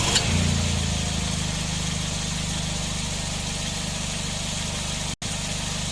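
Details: Nissan NV van at idle with A/C engaged after the loose compressor was replaced with a new one; steady even hum, no knock, rattle or grind, compressor cycling normally — normal A/C compressor running.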